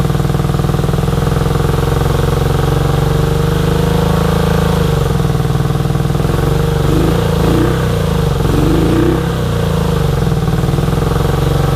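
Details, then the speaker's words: 1983 Honda VT250 V-twin, about 63,500 km, just revived project bike with freed seized carb slides: even steady beat with a few smooth rev rises and falls, no knocks or rattles; runs healthy, though it needs a tune-up. "so i am calling that a big success this thing runs awesome for a 250. um considering there's 63 and a half thousand k's on it you would not notice it this motor runs like it is pretty much new"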